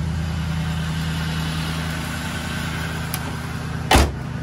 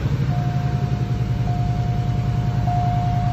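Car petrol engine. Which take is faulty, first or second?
second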